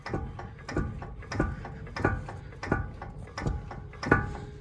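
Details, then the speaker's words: Ford Super Duty (2005-07) front axle, driver's-side wheel turned by hand: hollow metallic clunks about one and a half per second from worn front axle u-joint, which also binds wheel rotation. "so that is a symptom of a bad u-joint as well you can see it you can hear that one clunking over there"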